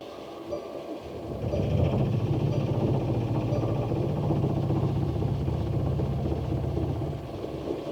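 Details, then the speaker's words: Mercedes Sprinter diesel van, -7°F, dead battery, on a portable jump starter after many glow plug cycles: slow, labouring crank for about six seconds, then the diesel fires and catches; hard cold start, owner suspects gelled fuel. "I think my diesel is just gelled. The glow plug should warm it up. Okay, keep trying."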